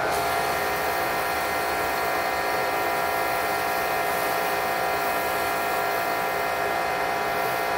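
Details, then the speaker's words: Electric Karcher pressure washer with foam cannon, after its nozzle orifice was drilled out to 1.5 mm to cure pulsing: steady, even spray hiss over a constant motor hum, no surging. "thanks I would say that's working pretty well"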